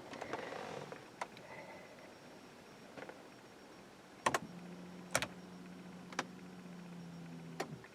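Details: 2006 BMW 325i no crank no start: a few dry clicks, then a steady low fuel pump hum for three seconds with key on and brake pressed; engine never turns over; failed starter solenoid.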